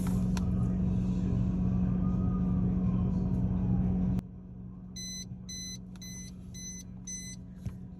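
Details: Frigidaire side-by-side FFHS2622MWF not cooling, ice blocking vents. Damper control assembly is removed but still plugged in: a steady low hum for four seconds, then cutoff and beeps, as the damper motor strains against a damper stuck closed; fixed by replacing the damper.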